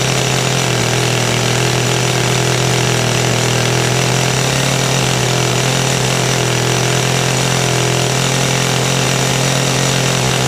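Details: Kawasaki two-stroke hedge trimmer after fuel line work, started on choke: loud, steady high-revving buzz holding even without stumbling or surging; running cleanly and strongly; normal running.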